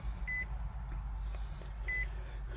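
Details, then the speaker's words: 2012 Nissan Armada Platinum in the cabin: two short high chimes about a second and a half apart over a low rumble, the door-ajar warning sounding because other doors are open. "I'm going to close the door because I know it's going to ding might still ding because I have the other doors open"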